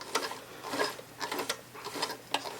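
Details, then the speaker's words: White 999 sewing machine, probably over 40 years old, after oiling, hand wheel turned with the bobbin and bobbin case removed: light, scattered ticks with no grinding and no resistance felt. Not silent but the mechanism turns freely; normal hand-wheel rotation. "I mean it's not silent but it's running pretty great in terms of like machine noise and also um I'm not feeling any resistance in the hand wheel so that's good"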